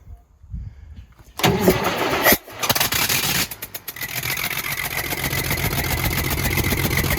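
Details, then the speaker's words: Semi truck diesel after turbo failure, turbo removed and oil line blocked off, running 15-20 seconds: cranks, catches, lumpy idle with uneven beat; miss on cylinder number one, owner suspects a valve. "the problem is miss is on cylinder number one which is probably going to be a valve if i had my guess i'm pretty sure it's cylinder number one"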